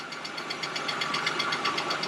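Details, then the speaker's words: Engine ticking at idle on a BMW just after an oil change, left running for a few minutes to check for leaks; quick, even top-end ticking over a steady idle, source unconfirmed; owner hopes it goes away and plans to tighten a spark plug. "and I hope that ticking goes away I need to go ahead and tighten that uh spark plug as well"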